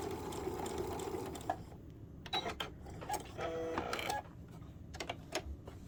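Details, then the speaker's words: Sewing machine after repair (foot plate fixed and bent needle replaced): short runs of quick, even stitching with pauses, no needle click; normal stitching. "It wasn't just the foot plate, it was also the needle too, so I went ahead and changed out the needle. That needle was a little bent. So it's not making that noise anymore."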